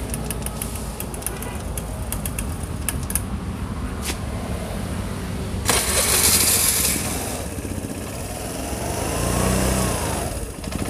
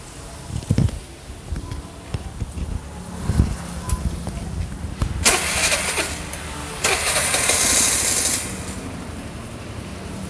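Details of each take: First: Imported carbureted Vespa LX (Piaggio) single-cylinder scooter before servicing: sputters and surges unevenly, revs rising and sagging, won't hold a steady idle; hard to start and burns about 6 L/100 km. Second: Piaggio Vespa LX carbureted scooter, previously hard to start with an unstable idle and heavy fuel use. After maintenance it cranks a few times, catches, and idles lightly and evenly at about 1200–1300 rpm on a tachometer; healthy.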